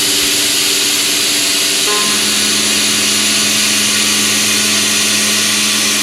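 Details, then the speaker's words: Milling cutter in a shrink fit holder, held out 2 in from the holder, full-depth side cut with about 0.0015 in chip load; steady even hiss, no squeal or chatter, cutting cleanly. "perfect if it was just a cutter held out at this length we'd be dealing with a lot of squealing and chatter"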